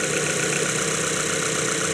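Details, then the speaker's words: 2012 Mazda 3, 2.0 L naturally aspirated, runs rough: loud warm idle with an uneven shake in the firing pulses, not a dead miss, from one cylinder misfiring because of a scored bore. "Anyway, it's got a shape. It's not like a dead miss."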